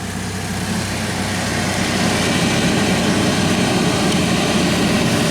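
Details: Saab blower motor after being freed from ice jamming: fan spools up to a steady, even rushing hum with no rattle or scraping, now spinning freely.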